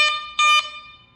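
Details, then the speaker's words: Carbon Aeronautics drone ESC calibration with the receiver in PWM mode, stick lowered at the wrong moment: a brief beep then a longer one at the same pitch; ESC calibration failed. "oh, that didn't sound good. You gotta get it at the right time."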